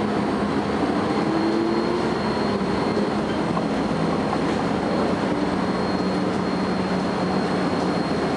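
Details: First Manchester Volvo B10BLE bus 60403 (S670SVU), recorded 30 May 2011; thin steady high whine holds its pitch above the low diesel drone and road rumble, a strange noise whose source isn't clear.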